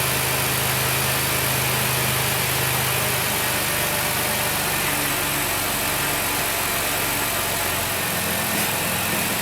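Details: High-mileage 2008 Dodge Grand Caravan, replacement 3.8 L engine, running during Mopar coolant fill: steady even idle with a smooth low hum, no knocks, misses or surging; sounds healthy.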